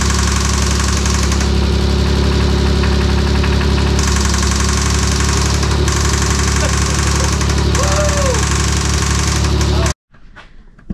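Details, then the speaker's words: 1992 Dodge Stealth R/T twin-turbo V6 after timing belt install: rapid, fairly regular tick over steady idle until shutdown; source not pinned down, lifters suspected once valve cover is off. "looks like we're on plan c we're going to remove the valve cover we've got to tick somewhere we gotta find it"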